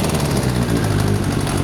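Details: Kawasaki ZZ-R1100 D7 engine: loud busy four-cylinder run with a rough pulsing beat in the engine note; abnormal engine noise, cause unclear.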